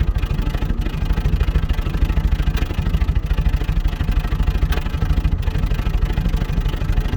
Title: Series 3 Land Rover Intermittent Misfire